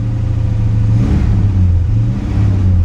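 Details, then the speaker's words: 1957 Chevrolet Bel Air small-block V8, rebuilt, long unused, idling then throttle blips; deep, even rumble swelling smoothly and settling back without misses or knocks; sounds healthy, normal revving. "sounds healthy man she sounds good"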